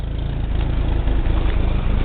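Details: 1989 Suzuki Swift GTI engine with Hyundai transmission swap, very hard starting cold, now idling about 1200 rpm: low, uneven chugging idle with slightly hunting beat; lumpy idle, cause unclear.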